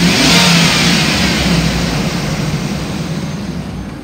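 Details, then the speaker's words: 2005 Hummer H2 with the 6.0L V8 and about 72,300 miles, warmed up after nearly an hour of running. It revs smoothly and settles back with no knocks, ticks or misses; the engine is healthy, though the transmission won't engage any gear. "the motor sounds good I've had it running for almost an hour it idles smooth and revs up nice"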